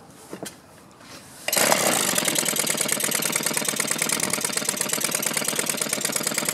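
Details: Small two-stroke with barrel carburetor after quarter-turn mixture screw adjustments: fires and runs with ragged, uneven popping about four beats a second; poor fuelling, carb to be cleaned, spark arrestor screen suspect if not.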